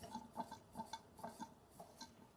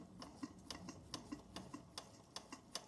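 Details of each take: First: Bing 10/110 poppet-valve steam engine on its original burner, heard at the chimney while warming before full pressure: soft, uneven, stumbling chuffs as the last condensation clears from the cylinder. Sputtering from cylinder condensation at warm-up. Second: Bing 10/110 poppet valve steam engine on its original spirit burner, slowed down: light, quick, evenly spaced ticking about three to four beats a second at a steady pace, condensation cleared, under 1 bar (about 10 psi); running smoothly.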